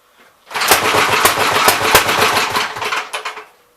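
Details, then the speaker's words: Gravely 64L tractor, single cylinder, not run in a long time, pull-started with the choke open a hair: uneven sputters that never catch; owner suspects it is flooding. "I haven't ran this tractor in so long, I don't remember any of the quirks it had. Kind of acting like it's flooded."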